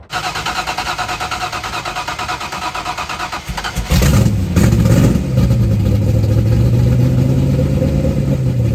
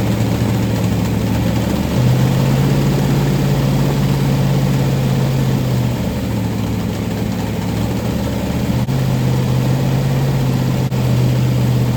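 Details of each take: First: Rebuilt 1990 Lincoln Town Car 5.0 V8 (GT40 heads, 650 Holley, Torker intake, long-tube headers, T-5 manual): catches after a few cranks and settles into an even, steady idle with a smooth low rumble, no misses; normal running. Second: 1990 Lincoln Town Car with 5.0 V8 and T-5 manual, first fire after rebuild with Holley carb and long-tube headers: lumpy idle with a fast puffing tick over the exhaust note; sounds like exhaust leaks in many places.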